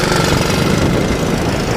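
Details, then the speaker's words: Honda ATC185 three-wheeler, about 35 years old, auto clutch, new right-angle air filter, test ride: loud busy single-cylinder thrum pulling steadily under load, even firing, no knock or rattle; quick for a 185. Normal running under load. "so she runs up through the gears pretty good um which is nice shifts really nice um she's actually pretty very quick for 185"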